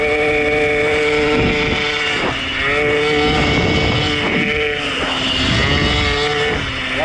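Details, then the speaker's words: Warmed-up engine under uphill load: a ragged note with repeated dropouts, misfiring and no power at the bottom end. Rotor and stator were already replaced; an internal electrical arc is suspected though the coils measured good. Cause unconfirmed. "On a changé rotor stator, on suppose, ça faisait un moment que je supposais peut-être un arc électrique interne, mais pourtant les bobines étaient bonnes, les valeurs."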